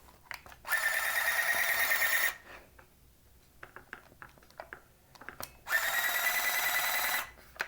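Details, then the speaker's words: 1981 Radio Shack EC-3006 thermal printer calculator after repairing battery-leak damage, paper loaded: two even buzzing feed runs about a second and a half each, steady pitch; paper feeding properly, fixed. "so 1 10 000 minus 100 equals it works it works we've got it fixed"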